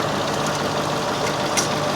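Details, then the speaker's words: Cadillac DTS auction car at idle, started without a jump: smooth, even idle with a steady hum and no misses, knocks or ticks, not misfiring, clean oil and no visible blowby; it runs like a top, a normal healthy idle. "Oh, this is nice. It runs like a top, guys."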